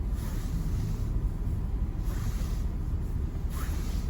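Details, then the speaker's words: Subaru Forester SG5 driving on snow after power steering pump replacement and lubricated steering shaft, owner chasing steering bind and front suspension knock: steady low road rumble, no knocks, clunks or binding; front end quiet for now. "сейчас кстати нет ничего если это будет и дальше так продолжаться отлично то это просто отлично маленькая победа ребят"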